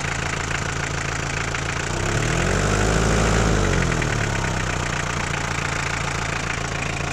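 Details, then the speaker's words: Toyota 2L 2400 cc diesel: hard, clattering idle with a sharp rapping beat that swells on a brief rev; both the injection pump and the nozzles are faulty, and diesel is not returning properly. "ठीक है, इसका pump nozzle दोनों का मसला है।"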